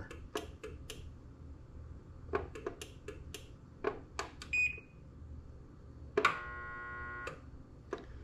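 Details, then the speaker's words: LiftMaster garage door opener after replacing its 45ACT logic/control board, during travel programming: button clicks, a short high beep and a longer buzzing tone; the opener won't travel either way, cause still unknown. "It sounds like it's not traveling. Let me try something else here. So it's learning something, but it's just not correct."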